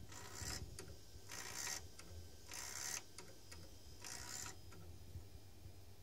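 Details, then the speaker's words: A defective 3.5" floppy drive that ruins disks, reading at 96%: hissing, scraping bursts about every 1.25 seconds over a faint motor hum. An extremely noisy, labouring read. "so now it's 96% done this is absolutely the most snoring disk drive I have ever encountered"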